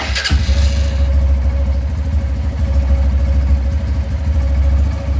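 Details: Honda Titan 150 Mix that would not start on the electric starter, fixed by correctly reassembling a small spring without replacing the button: one quick crank, fires at once, settles to steady even low idle; healthy.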